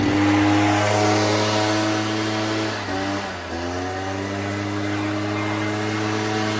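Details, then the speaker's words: Echo PB-403T two-stroke backpack leaf blower that sat for years and had only run on half choke without revving: after repair, a clean steady buzz that dips briefly and then revs smoothly. It is running properly. "all right cool so happy with that works pretty good"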